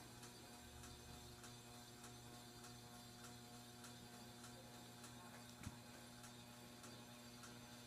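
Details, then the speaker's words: 42-inch Aloha Breeze hugger ceiling fan on low speed: low steady hum with faint regular ticking about twice a second; motor buzzes, with notable bearing noise and scraping against something unknown. "starting off on low his fan does have a lot of bearing noise too and it buzzes a lot"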